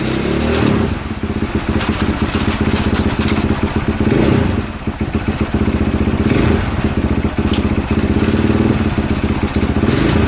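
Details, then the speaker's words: 2022 KTM 450 SXF after transmission repair (5th gear had failed), on stand during heat cycle, run through gears: steady single-cylinder thump rising and settling with throttle, no grinding or clunks between gears; gearbox healthy. "actually I'm going to do part of this heat cycle right now on the camera because I'm going to run it through his gears on the stand let's do that bre"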